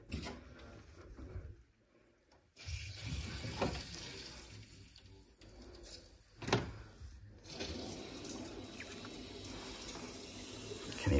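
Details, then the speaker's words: Domestic plumbing refilled with mains cold back on: steady hiss of trapped air escaping at the top, water rushing behind; normal venting, no leaks, good pressure. "hissing out of the air then at the top no links good pressure in this property must be absolutely terrible"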